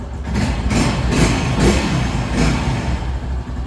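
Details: Honda Pop single-cylinder motorcycle after oil change with a wrongly removed bolt refitted correctly: low steady idle with an even beat and no knocking or rattle; engine noise resolved, sounds healthy.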